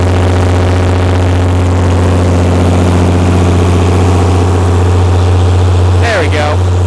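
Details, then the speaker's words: Perkins 354-series diesel, 45 kW Empire generator on load bank at about 45–47 kW full load, after injection pump reinstall: steady drone sags slightly as load rises, speed dropping; governor droop, 64 Hz no load to 60 Hz full load. "of course more more kilowatts so we dropped a little bit of speed again let's turn that back up"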